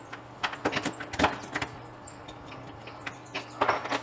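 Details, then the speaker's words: Contactor after dirt was removed from its core: only sharp clicks as the moving core strikes the fixed core on pull-in and drop-out, with no buzz or chatter while held. Normal operation. "agora sem a sujeira reparem que não há nenhum moído no contator somente o ruído na hora que ele é trata que dá o barulho do núcleo fixo batendo no móvel"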